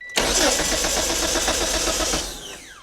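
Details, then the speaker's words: Flooded 1998 Mitsubishi Eclipse GS Spyder: strong, even cranking about four beats a second that never catches; no spark, no fuel pressure, check engine light dim. "I don't think we got spark yep so no spark no fuel pressure and that check engine light is just dim"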